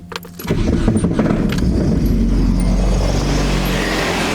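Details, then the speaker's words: Nissan 240SX with old, cheap transmission that sat outdoors, after one drive: harsh metallic clank on startup, then rough loud running with clatter and slight whine; owner suspects transmission failure. Clank on startup. "as you guys can hear that Clank on Startup it's kind of like whining a little bit now but just listen to it when I rev up"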